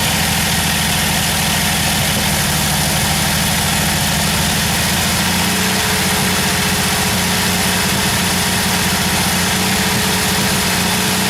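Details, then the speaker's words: Old Jeep, warm with the choke off, idling with an uneven, stumbling beat and dropped firing pulses, as if missing on a cylinder; the owner suspects moisture under the distributor and notes heavy blow-by from a worn engine. Misfire cause not confirmed. "sounds like it's missing a bit could be probably wet too under the distributor I don't know"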